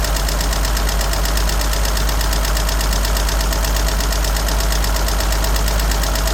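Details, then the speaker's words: 1963 Jeep Gladiator, battery possibly drained from key left on, very dirty oil about 2 quarts low; rough loud idle with fast irregular tick about three a second, valvetrain-type, cause not pinned down: engine ticking at idle. "And evidently, she's still ticking. And something is weird with this. You hear the tick? I hear the tick."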